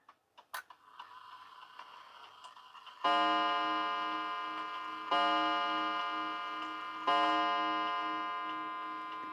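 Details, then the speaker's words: 1930s Garrard English mantel clock after check, adjustment and re-oil: light ticks, then the warning before three clear ringing gong strikes about two seconds apart, each dying away cleanly; movement ticking and chiming properly. "each time the gong works just to leave it so that it stays in sync so you hear the the warning what they call the warning where the movement gets or the mechanism gets ready to chime"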